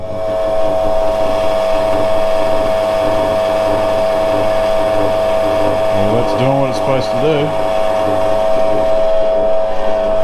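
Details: Australian-made AP Lever guillotine converted to single phase, four drive belts just fitted, blade clearance not yet set: steady motor and flywheel hum, then a brief clunk and swish as the clutch cycles the blade; runs smooth.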